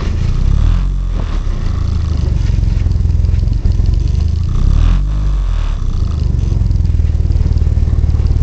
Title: Car won't start